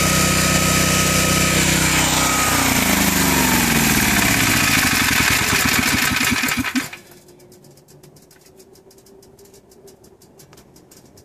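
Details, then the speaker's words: Generac 7000EXL tri-fuel conversion on propane (20 lb cylinder), load tested around 56–57 A with heaters and vacuums balanced across windings: loud steady drone holding speed, no hunting or misses, then winds down; runs smoother on propane than gasoline. "I just been low testing it here for the past couple minutes and uh it actually runs much smoother on propane"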